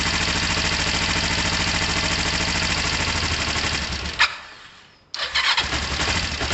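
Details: Kawasaki ER-5 twin, first start on choke after fuel overflow incident: catches and settles into a steady even idle, brief dip then recovers cleanly, no smoke; sounds healthy.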